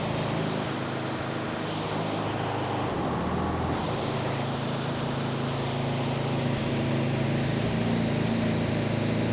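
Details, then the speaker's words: Ariens 926LE snow blower, Tecumseh Snow King engine, after tune-up and ultrasonic carb clean, max speed set to 3500 rpm, started first pull: steady, even engine drone with no misses, surging or knocks; normal running. "so there we go started first pull it should start that well for the customer every time"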